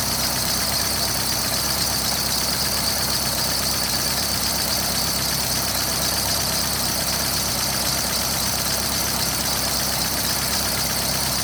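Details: Steady idle with a quick, light ticking riding over the top at engine speed; worn hydraulic lifters tapping.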